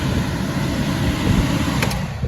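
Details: Carrier gas package unit heating a dining room where smoke was reported: steady low rumble with an even blower whoosh and no knocking, so it is mechanically sound. The smoke came from loose insulation paper flopping onto the burner, which needs re-insulating.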